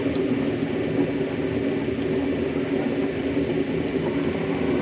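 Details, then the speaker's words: Fully automatic washing machine opened up with the motor running; loud steady whirring drone with constant mid-pitched hum from inside the drum at the pulley, drum otherwise turning correctly: drum pulley noise. "इसमें यहाँ पे इसकी जो पुली लगी हुई है, इस पुली के ड्रम के अंदर से आवाज़ आ रही है और काफ़ी साउंड आता है।"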